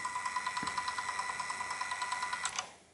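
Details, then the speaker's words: PC Engine CD-ROM² unit whose discs would not spin: the laser sled was stuck on its spindle and was freed by gently moving the lens with a screwdriver; the spindle now spins, with gears chugging and a grinding motor on every track skip. "yeah you can hear that every time you every time you skip the track you can hear that you can hear the motor really like grinding"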